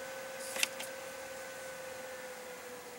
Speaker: pitch is going back down even though the demo is still running